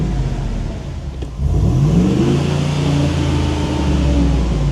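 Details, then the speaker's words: 2015 Ford F250 salvage supposed flood car after first drive: engine revs slowly and unevenly from low idle, flat and sluggish; poor throttle response and low power, owner suspects smoked cats, not confirmed. "I think the cats are smoked on it. It's got real crappy throttle response and didn't seem to have a lot of power."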